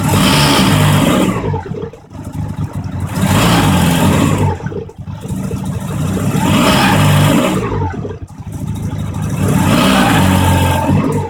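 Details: Mazda RX-7 pulling off from a stop: revs rise and fall, with a thin squeal on each clutch take-up as the pedal is released and rpm drops to match input shaft speed, sometimes also when shifting; not a belt squeal, source unclear.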